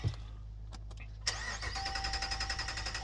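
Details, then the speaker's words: 2019 Dodge Ram Rebel: after a few clicks the starter turns the engine at about four beats a second without ever firing; fuses and relays fine, crank no start from floor mat holding throttle open after interior cleaning. "it'll just sit here and just keep trying to start so went through all of the fuses relays and everything couldn't figure it out"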